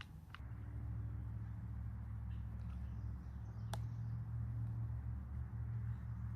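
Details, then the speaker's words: Echo trimmer that started but would not rev, after replacing muffler, top cover and spark plug, run without attachment: steady, even two-stroke drone with no stumbling or surging. Now runs cleanly; full-speed check still pending. "so it seems to be working just fine now but I'll put the attachment on later and check it for a full speed run"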